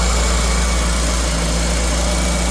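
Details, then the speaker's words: 1977 GMC Motorhome, Oldsmobile 455 big block just converted to ACE KillShot fuel injection with GM HEI distributor and upgraded cooling; low, even, steady idle with no miss or hunting, radiator fans not yet on, no smoke; normal idle. "Okay, we're idling just fine. Fans are not running."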